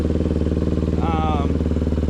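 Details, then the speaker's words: 1999 Honda XR250 after carburettor rebuild and new air filter: single-cylinder thumping at a steady, quick beat, no misses or stumbles; clean, healthy idle. "so it's sitting idling it's actually running really"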